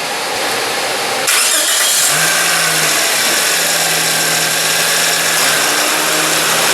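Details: 2005 Toyota Matrix after replacing the noisy, vibrating radiator fan motor that had play: strong steady rush of fan air as the engine starts and settles into an even idle with AC on, running normally.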